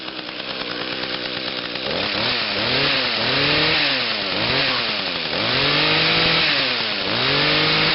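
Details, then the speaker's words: Small two-stroke lawn machine on TruFuel, sat about 3 weeks, started on choke with five primes and one pull: a strong, even buzz swells and settles with throttle, with no misses. It runs normally. "huh wow another one pull starter I did not expect that it's sat for about 3 weeks"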